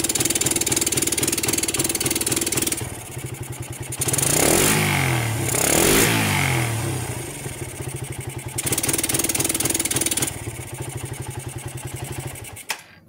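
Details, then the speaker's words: Suzuki Satria with battery connected, throttled fully to the limiter; small single idles crisply, climbs cleanly through two blips and drops back evenly, revving normally. Problem: it won't rev when the battery is disconnected. "Motor ini kalau kita kasih baterai seperti ini digas full sampai limit mau teman-teman ya."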